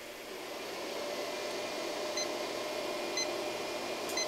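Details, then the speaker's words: Cobra CPI2550 2500W/5000W inverter, locked-rotor surge test with a dehumidifier whose start surge is about 3,500 W from the wall: short high beeps about once a second over a steady fan hum as the inverter tops out near 2,000 W; an overload alarm. "so about 2 000 watts is all it's able to do for surge capability as i'd said"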